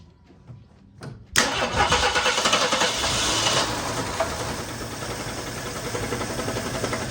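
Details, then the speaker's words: 1975 mail Jeep, long-dead, running from a gas jug with carburetor bowl hand-filled: cranks briefly, fires, then runs with uneven loping, surging beat; rough running, then dies, fuel pump suspected not pumping. "She runs a little rough, but she does run."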